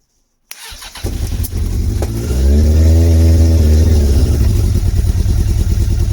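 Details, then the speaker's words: Motorcycle (Bandit project) first start after storage with the air filter removed: catches after a few stumbles, rises to a lumpy, uneven run with a wavering note as the other cylinder tries to come in, struggling before steadying. "It'll sound a bit rough to start with, though. Yeah, just take the air filter off, guys. So it's got a rush of air to get this thing started. Let's see. Yeah, struggling."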